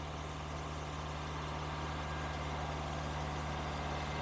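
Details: Engine with a high idle, vacuum hoses pinched one at a time with no change: steady, even but noticeably fast idle with no vacuum-leak hiss; raised idle has another cause, and a blown head gasket is suspected.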